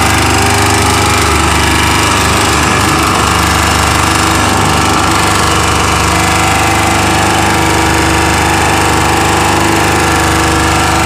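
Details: Chinese 2000-watt generator, steady loud drone with a rough, rapid knocking rattle at constant speed; abnormal engine noise, cause unknown.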